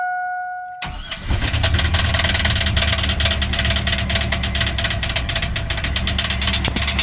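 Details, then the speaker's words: Cat Eye 1-ton truck, first start after sitting a year or two with its seized engine broken loose and fuel smell: rough idle with a rapid rattling knock about three per second; gauge shows no oil pressure, owner thinks it comes from the top side. "Got a nice knock to it though, huh? There's no oil coming out of it."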